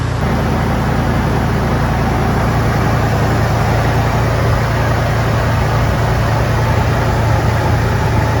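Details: 1999 Toyota 4Runner (3rd gen), well kept and mechanically sound: loud, steady low rumble at idle, even throughout, with no tapping, misses or rattles.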